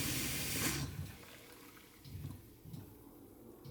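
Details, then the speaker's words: Water system of a 1946 Bantam T3-C micro camping trailer: a sharp hiss right after the pump stops, then faint bursts as pressure bleeds off from an unfound leak; pressure leak hiss. "Yeah, it's releasing pressure somewhere. You can hear it hissing somewhere."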